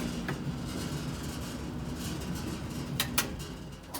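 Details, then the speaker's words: Gas dryer (Amana) that spins and runs but no longer heats: steady drum rumble with a few sharp clicks; thermal fuse failure suspected, not confirmed in this clip. "So you can hear it clicking, turns on, runs fine. Only problem is your clothes are not going to be dry."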